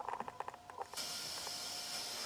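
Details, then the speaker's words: Behringer Eurorack UB1002 mixer, heard through valve amps. A few soft clicks, then a steady, even clean hiss with no mains hum, where there was a horrible hum before. This mixer model is known for hiss. "and you can hear clean hiss no hum yeah and these mixes Euro Euro TR ub12 are known for their hissin"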